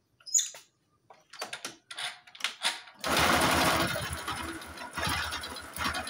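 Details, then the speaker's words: Honda Supra X 125 motorcycle before full engine teardown: after handling sounds, engine starts and runs with uneven, coarse mechanical rumble and rattle, described as very rough; source not yet found. Rough engine noise. "Oke, jadi suaranya seperti itu, sangat kasar."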